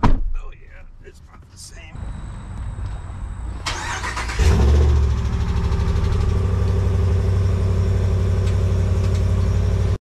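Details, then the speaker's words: Dodge Ram 1500 test-started while being considered for purchase: on the first start the engine catches and idles with a loud, steady tapping of about four per second over the rumble; it did not recur on restart, and the cause is unknown. "well i don't know but the first time i started it it makes a big tapping sound i i just my truck doesn't do that i don't know if that's how new trucks do it"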